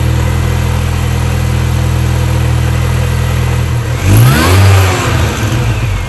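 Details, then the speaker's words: 2005 R53 Mini Cooper S supercharged, after timing chain, supercharger service and cat removal, intercooler refitted loosely; revved to about 2000-2500 rpm. Swells then a rough stumble on lift-off with a strange noise; fuel pressure suspected, unconfirmed. "you can clearly see it goes up and then drops down again but um I only held it about two two and a half thousand RPM and you can clearly hear on the video I'll play it again now which is the noise that it's making"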